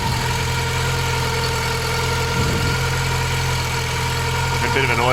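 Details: Mk2 Golf 1.6 petrol, automatic, Weber carburettor, after choke cable adjustment: even, steady idle with a smooth low hum, no hunting or stumbling; normal idle.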